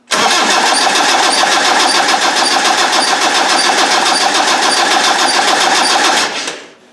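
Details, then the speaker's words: Land Rover 300Tdi diesel cranked with the injector pump off, tachometer tape on crank and cam: steady cranking about three and a half beats a second with a sharp high squeak each turn, nothing seen on the camshaft; squeak, source unknown. "does it look like it's coming off here it always squeaks here see what the hell is that"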